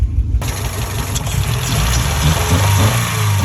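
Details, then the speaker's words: Honda Civic, idling low and partly warmed up: uneven, lumpy idle with no clean rhythm; owner suspects a blown head gasket, with smoke and water dripping from the tailpipe, not confirmed. "k at that now we're idling low"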